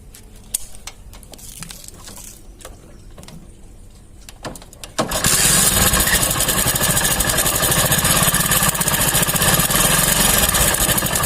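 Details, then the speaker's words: Hero bike engine started after fitting the timing chain tensioner with its long spring compressed; fast regular metallic rattle at idle, three to four per second, expected to quieten in 3-4 minutes once engine oil reaches the tensioner; timing chain tensioner rattle. "थोड़ा टाइम लगेगा इसमें, जब इधर engine oil आ जाएगा उसके बाद ये सही आवाज़ सही हो जाएगा धीरे धीरे।"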